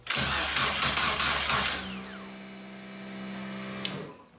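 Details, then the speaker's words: Locost 7 kit car, first start attempt after a leak at the fuel filter: starter churns rhythmically under two seconds, engine never catches, then a faint steady tone; no fuel pressure, pump may not be picking up. "There's no pressure. I don't know if I've actually got enough in to, you know, to actually pick up for the pump to pick up."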